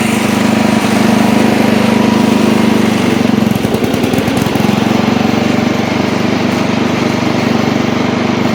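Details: Old Montgomery Ward Power Kraft riding mower, no air filter, blade engaged and cutting: steady single-cylinder thump with even firing, no misses or knocks, after earlier stutters in gear; engine pulling cleanly, normal running under load.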